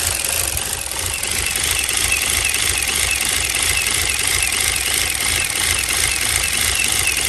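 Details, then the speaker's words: 2016 Chevy Cruze 1.4L turbo Ecotec, run about four quarts low on oil with reduced engine power: fast uneven clicking, about three per second, over a light idle; valvetrain ticking from oil starvation, possible internal damage. "i hear that clicking all right it was reading about it was about four quarts low so basically empty a quart don't know how steel running"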